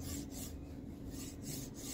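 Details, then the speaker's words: Formbot Vivedino MGN9H linear rail block on Voron 2.4 3D printer, after reinstalling balls into the race: even, soft rasp sliding with no grinding or catching; weird noise gone but block feels loose, no preload. "uh but it doesn't make that weird sound anymore but it's so loose if feels loose anyway"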